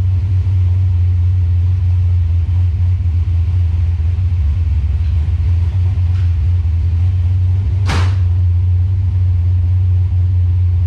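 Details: Calypso green 1993 Mustang Cobra tribute build after header leak fixed: deep steady rumble at idle, no ticking or puffing at the manifold; header sealed, exhaust tight and quiet.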